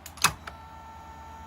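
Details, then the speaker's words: Mercedes S-Class throttle body (ASR) on the bench, known working piece connected to a working module, power applied: a single sharp click then a faint steady hum, throttle clutch coil engages normally. "there we have it so basically coil is active"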